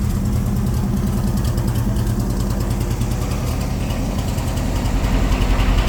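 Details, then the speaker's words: C3 Corvette V8 after a carburetor tune; it had been flooding and smelling of gas, with the float set high, and the carburetor was adjusted. Deep, even idle with a steady lope and no misses, now running pretty good. A cam is possibly fitted. "you know I mean right now it's sounds like it's running pretty good"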